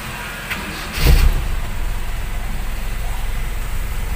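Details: Toyota Kijang Super engine after repair of a rough, shaky run (carb cleaned, spark plugs replaced, CDI checked): one clunk, then a smooth, even low drone with no misfire stumble. Running properly, with the sound clearly changed.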